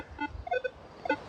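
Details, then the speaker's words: Minelab Equinox 800 in Field 2 mode, sensitivity set too high: erratic bursts of tones and beeps as the detector chatters; lowering sensitivity to about 18 and below quiets it. "so you can hear the detector chattering right now my sensitivity is too high so what I want to do is make sure that I lower this down"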